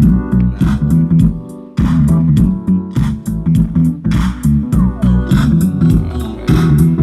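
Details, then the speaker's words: Politron active speaker amplifier after replacing one failed TIP41 transistor that caused distorted sound, playing music from a flash drive: clean bass-heavy music, no crackle or breakup; normal playback. "Nah, musiknya seperti ini, orisinal. Ini berasal dari flash drive."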